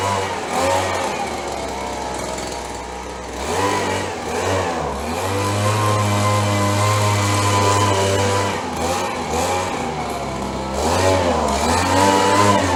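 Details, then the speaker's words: 30+ year old Stihl BG 72 two-stroke gas blower being revived: revs surge and sag unevenly, hunting instead of holding steady, so the engine still runs rough and needs adjustment. "Sounds like we need a little work here."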